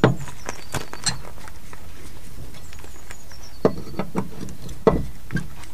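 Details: Small, neglected boat trailer jacked up with the wheel off the ground and nuts loosened: a few sharp, hollow clunks as the wheel is rocked by hand; very loose free play from a worn wheel bearing.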